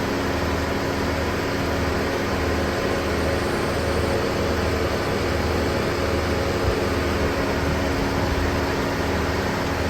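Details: Car at idle with AC on, windows closed, during DIY recharge after leak repair on empty system, hot day (28–35°): steady even hum with blower rushing air, unchanging; AC running normally.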